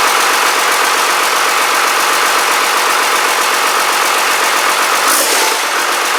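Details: Rebuilt Cummins 12-valve diesel on its first fire-up, boost tube not yet connected, fuel shutoff solenoid working: loud, steady diesel clatter at an even idle with no miss, knock or surge. Healthy; a brief buzz was heard at startup.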